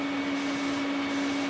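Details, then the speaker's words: Everlast 255EXT TIG welder at zero amps on the foot pedal, torch held away from the metal; constant mid-pitched buzz with hiss and no arc crackle; normal high-frequency arc-start buzz. "so the way our machine is set up now when we go here we're at zero we got our art started you can hear the machine buzzing"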